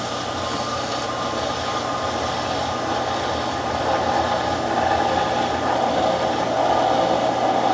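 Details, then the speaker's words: Lake-fed outdoor water pump in a boathouse, being primed by throttling the cistern and lake lines: a steady motor hum that grows louder as the suction hose fills and pressure builds; normal. "What you have to do is just throttle and thread those lines back and forth there a little bit until you get the lake line suction hose filled. So it's filled now, it's building up pressure."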